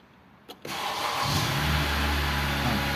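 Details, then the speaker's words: Honda Accord 2013 previously not starting: short click, then it cranks, catches at once and settles to a smooth, steady idle after a broken ground wire was repaired; normal start and idle. "İndi avtomobilin səsindən də hiss olunur ki, yəni avtomobil xoda düşdü."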